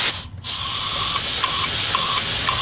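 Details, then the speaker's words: VAZ 2121 Solex carburetor jet being blown through with a sealing cone nozzle, checking for fuel overflow: steady high hiss of air rushing straight through with a few light clicks; jet channel clear. "спасите меняется звук то есть для меня канал чистый"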